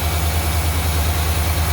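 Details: 1992 GMC Sierra C1500, 350 TBI, TH700R4, 242k miles, after replacing a failed water pump, coolant topped off, before electric fan install: even, deep idle pulse with no grinding, whirring or bearing growl; normal idle.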